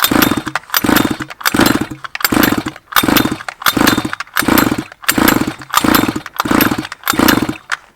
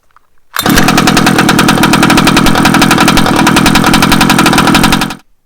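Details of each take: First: 1/5-scale petrol two-stroke Baja RC car, flooded cylinder, spark plug removed and car turned on its side: quick, even pull-start strokes about 86 a minute, the engine spinning freely without firing as the pulls blow the fuel out. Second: 1/5-scale petrol two-stroke Baja RC car, after sanding the spark plug, spark-testing it and refitting it: one pull-start, then a crisp, buzzy two-stroke note held steady for about four seconds before cutting; it fires and runs cleanly.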